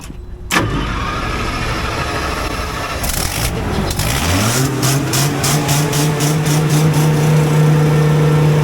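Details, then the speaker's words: Generator engine started after coolant system overhaul: cranks, catches, climbs fast to a steady high governed drone with sharp ticking hiss and scream on top; exhaust manifold leak, unit left down for repair. "but you guys hear that I can't leave it like that um I'm going to have to leave it as a red unit down for that manifold leak"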